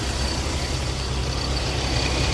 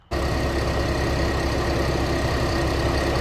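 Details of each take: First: Infiniti G35/G37 VQ V6 with aftermarket lightweight crank pulley, at idle: steady idle with a coarse loud rumbling drone and rattle underneath; owner dislikes the noise and is replacing it with a damper-type pulley. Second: Infiniti G35/G37 after swapping a loud lightweight crank pulley for a damper-type pulley: steady even idle, smooth low rumble, no knocking, ticking or shaking.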